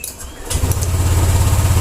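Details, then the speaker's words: Honda Vario 150 scooter that was totally dead electrically and would not start, after cleaning a dirty blackened switch socket; brief starter whirr, catches quickly and settles into a steady low idle, a clean healthy start. "Nah, oke, mantap. Nah, jadi permasalahannya itu ada di soket yang kurang bersih ya, soket yang kotor tadi."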